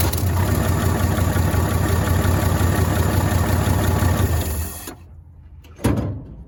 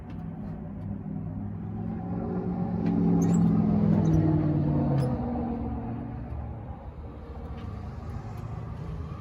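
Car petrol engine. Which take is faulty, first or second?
second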